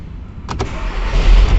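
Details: VW Passat after no-start repair and reassembly: a couple of sharp clicks, then a low steady rumble builds as the engine catches and settles into an even idle; normal start.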